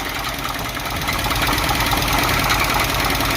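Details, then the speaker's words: 1976 Chevy El Camino V8, first run after sitting a long time, not yet warmed up: loud, hard metallic knocking at three to four beats a second over a rough idle; a badly knocking engine, cause unknown. "it literally sounds like this thing is trying to destroy itself from the inside out"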